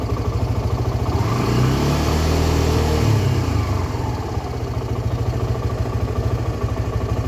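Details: Suzuki Gixxer SF 250 single-cylinder after an engine oil flush and new oil and filter: revs up smoothly and settles to an even steady beat, no knocking or rattles; healthy.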